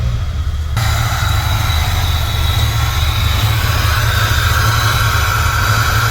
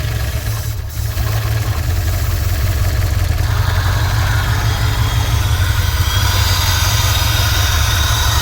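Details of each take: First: Engine idling and warming up, radiator fan not yet on: a light metallic ticking over a low rumble, suspected to be a loud, rattling turbo wastegate, not confirmed. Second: Turbo engine first run after head gasket replacement, warming up: steady low idle with airy exhaust rush blowing by the turbo and a ticking sound; loud wastegate, but running normally.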